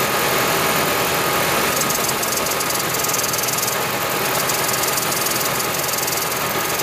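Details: 2010 Toyota Prius with over 300,000 miles, engine running: steady loud hiss over a faint knock, probably from the EGR valve not closing completely; cleaning the valve made the hiss disappear, but the knock remains.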